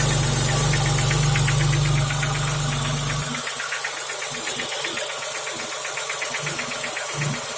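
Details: BMW E34 at steady idle: sharp, evenly spaced knock about four times a second, a deep internal engine knock; owner suspects a failed piston pin holding the connecting rod.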